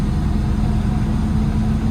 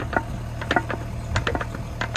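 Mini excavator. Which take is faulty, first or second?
second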